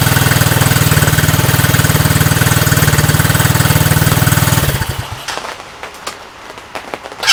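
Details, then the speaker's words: Coleman ATV Scrambler 125cc after a no-start fix (had spark, fired on starting fluid; new carburetor, new battery, stale fuel drained) starts and putters evenly at idle with no stumbles, then shuts off; runs fine. "starts up and runs fine"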